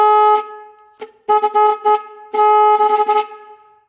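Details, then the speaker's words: Car horn ground wire removed and touched to a fresh metal spot: short clean steady blasts only on the fresh spot; original ground point visibly corroded. "okay so that tells me that yeah i can see that corrosion right there right there"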